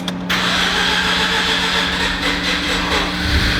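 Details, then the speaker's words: Mazda RX-8 13B rotary engine, flooded, during de-flooding cranking (fuse pulled); short starter burst becomes a raspy, even drone that nearly runs on its own, engine close to catching. "oh my god it almost ran on its own power [Music] that might actually be it man"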